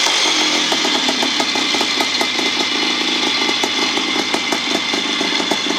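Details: 1975 Bultaco Sherpa T 350 (type 159) two-stroke after rebuild, crisp, even, steady idle with no rattles; normal running.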